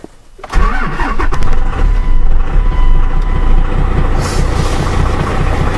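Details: Dodge Ram 12-valve Cummins diesel, cold start at about 36°F after the glow plug light went out, with a 7s 2.5V/2600F ultracapacitor pack wired in parallel to the batteries (about 12 V): a short crank catches almost instantly and settles to a steady low rumble, a clean start.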